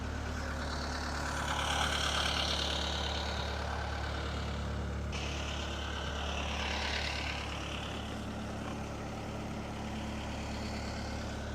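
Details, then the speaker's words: Marine diesel on a docked boat, not run in a while, running easy in reverse under load on dock lines; steady regular thrum with no knocking, cooling water coming out of the exhaust as it should and absolutely no smoke; normal running. "Okay, yeah, it's water's coming out just like it should, and absolutely no smoke."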